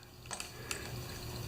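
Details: 3HP Briggs engine on Turf Power tiller, carburetor cleaner sprayed through carb passages during repair: wet gurgling and hissing, showing the fuel passage is open and flowing freely.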